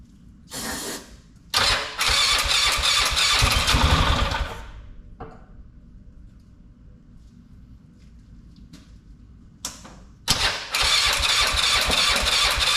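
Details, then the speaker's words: Polaris Sportsman 500 after top-end rebuild: loud bursts of fast even cranking in three goes, never starting; weak pulse line, owner suspects the fuel pump isn't working. "man that's a racket well I'm pretty sure the pump isn't working so I'm gonna let it sit maybe the cooling system will bleed"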